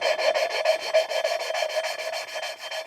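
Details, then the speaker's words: Subaru STI/WRX cylinder head, valve lapped by hand with fine compound: quick gritty rasping strokes about six a second, the grinding fading as the valve seats, then lifted, turned and reseated. "So, you'll hear uh the grinding get less and less loud. Like, it'll it'll sound um the sound will dissipate, and that's when you want to lift it up uh lift up the valve and then turn it a little bit kind of and then receat it and start going again until basically you hear no noise."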